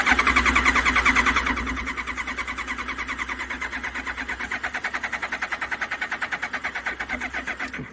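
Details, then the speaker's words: Likely a Hayabusa after sitting; the fuel relay clicked and primed twice: the starter spins the engine quickly, about three chugs per second, but it never fires. Crank, no start, cause unconfirmed. "I guess not it that relay back there clicked twice and it like primed it twice was really weird anyway hit the starter he'll be shocked at how fast it cranks that little thing over"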